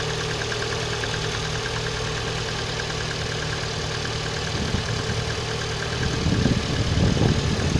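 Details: Engine knock at idle: uneven tapping knock over the drone, getting louder near the end; origin unknown.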